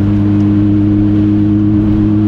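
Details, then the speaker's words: Renault R5 Turbo 2, freshly rebuilt, non-original exhaust, pulling in 3rd gear at AFR about 14.7: a steady, deep booming drone at one pitch under load. The exhaust is too loud for comfortable road driving. "est je l'avais remarqué déjà au premier essai il est vraiment bruillant cet échappement limite pas agréable pour faire de la route"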